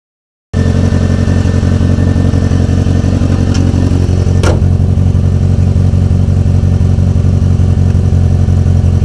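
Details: Renault 19 on its first move after engine repair: steady, even low rumble that picks up cleanly with throttle and settles back without knocks or misses; engine runs healthy.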